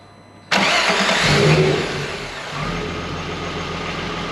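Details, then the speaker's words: Mk1 Golf VR6 first start after fitting the correct starter motor and draining old fuel from the tank; first attempt had an air leak from the unconnected brake booster outlet, then it catches, flares briefly and settles to a smooth even idle; normal start and idle. "well it's alive the little outlet for the brake booster wasn't connected up yet so in an air leak so let's try again"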